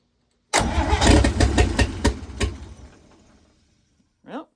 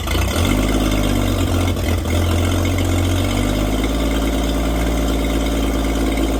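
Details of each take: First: 1954 International Metro van engine, newly installed, first start attempts while troubleshooting an ignition wire whose voltage drops when connected: brief catch, a few uneven heavy pops dying within three seconds, sounds like firing on one cylinder; spark problem suspected. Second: 1954 International Metro van, engine just installed, fuel system not hooked up and fuel pumped straight into the carburetor: catches after a short crank and settles into a steady, even idle. Normal idle.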